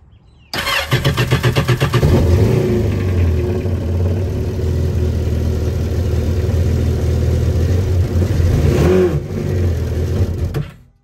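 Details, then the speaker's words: 2019 Yamaha GP1800R WaveRunner, supercharged 1.8L, started with lids off before repair: cranks, catches and revs with a dull lumpy drone and no supercharger whine; failed supercharger clutch, supercharger not spinning, no boost, blow-off valve not actuating, likely running rich. "So basically supercharger is not spinning, so it's not putting any extra air into the motor, so it's probably going to end up running rich, and in return it's not actuating the blow-off valve either right here."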